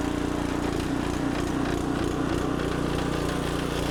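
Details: Fairly new small engine on a traded log splitter that previously wouldn't crank, now restarted while still warm after repair work. Strong, even drone with steady firing and no hunting; it starts and runs cleanly.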